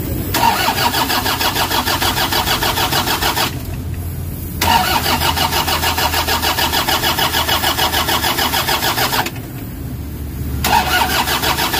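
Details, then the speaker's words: Toyota HiAce diesel, cranking but no start, codes P0087, P0107, P0400: two long bursts of steady starter cranking at about 200 rpm that never catch; it died suddenly and bleeding did not help; low fuel rail pressure. "So yun ang pinakaproblema niya ah talagang ayaw umandar tapos bigla lang siyang namatay and then hindi na siya umaandar."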